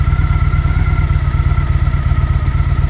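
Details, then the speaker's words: Liquid-cooled motorcycle idle screw turned down about a sixteenth of a turn, radiator cooled by garden hose: soft, slightly uneven low thumping idle sitting a touch slow, no knocks; lower idle speed cutting charging voltage from about 14.6 V. "this isn't that big of a difference in the idle speed there we go you can see maybe about a 16th of a turn and this thing is just dropping"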